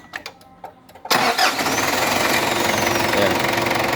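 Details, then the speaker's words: Ford Ranger 2.5 diesel with slow, weak starter cranking despite new battery and serviced starter and alternator, after adding a large extra ground cable: loud, quick, even cranking churn, much lighter and stronger than before. "sudah jauh lebih ringan dan lebih besar jadinya hasil berbeda dengan kondisi sebelum kita tambah ke kabel ground dari krimnya"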